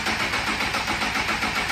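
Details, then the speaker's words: Honda CBR sport bike with plastics removed and the tip-over sensor tripped (not sitting upright): the fuel pump does not prime at key-on, and the engine cranks steadily with no firing. Crank, no start, caused by the safety cut-off. "So that was really nice to see. Now, another thing that I want to show you guys, there is a safety feature enabled on these bikes where if I turn the key right now, typically if everything's good and ready to go, you'll hear the fuel pump prime, but you can hear it's not priming right now."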